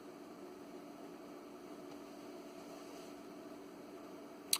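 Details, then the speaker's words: ALS 600 solid-state linear amplifier power supply (late 1990s, about 20 years old) after replacing the noisy original fan with a Noctua NF-A8 PWM: faint, even airy whir with no rattle, buzz or roar; much quieter. "there you have it a whole lot quieter there"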